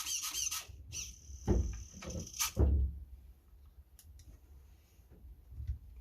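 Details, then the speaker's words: Used HPI Savage 4.6 nitro RC truck bought for parts: throttle servo makes thin, high chirping squeaks in short bursts with a dry rubbing note as it moves; owner suspects the servo will fail soon. "Sounds like the throttle servo is going to go soonish."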